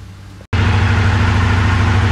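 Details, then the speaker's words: 1982 Honda CX500 twin, neglected for years, engine warming: brief cut, then a low, lumpy idle pulsing unevenly as if about to stall; dies when idling below about 2500 rpm, owner suspects the idle/slow jet. "there is however one issue that one it starts idling like below 2500 RPMs the engine just dies so I think uh they idled yet the slow jet is giving me a problem"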